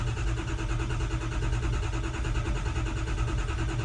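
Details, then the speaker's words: Ford F350 6.0 diesel, 99,000 miles, no-start after overheating and shutting off: relative compression test cranking, pedal to floor, gives dense, steady, unbroken starter churn; uniform, healthy compression. "No, it sounds okay. Sounds uniform all through its cranking. It sounded alright."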